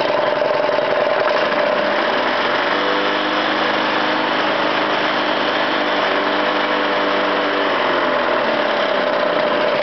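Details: Honda small engine after its carburetor jets were replaced, not yet tuned, with the throttle pushed up to about cutting speed: an even, steady drone with no surging, popping or knocking; it runs smoother than before.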